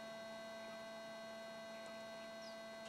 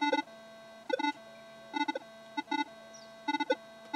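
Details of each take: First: Metal detector with cell phone turned off: faint steady hum with a few fixed tones and no warbling, chirping or falsing; runs stable, since phones cause false signals and poor ground balance. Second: Pulse induction metal detector standing still with a smartphone on nearby: irregular bursts of beeping chatter over a steady tone as the phone hunts for signal; cellphone interference causing false signals and instability.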